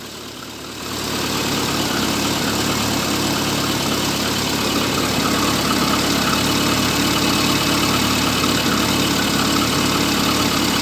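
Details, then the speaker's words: VAZ 2111 that was misfiring, after camshaft sensor replacement: idle now mostly stable but a faint irregular pulse remains, slight shaking, no fault codes; owner suspects injectors. "ну чуть-чуть є якась нестабільність Ну нічого ми зараз подивимось глянемо що в нас на комп'ютері буде показувати"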